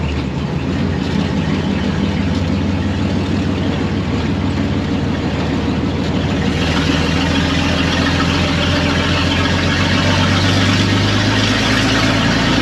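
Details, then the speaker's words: 1926 Maxim truck after ignition, oil pan and fuel system repairs, new belt and cooling flush: deep, steady low rumble with an even, unhurried beat and no knocks or rattles; normal idle. "the rest of the truck we just checked it out everything works it runs and drives great"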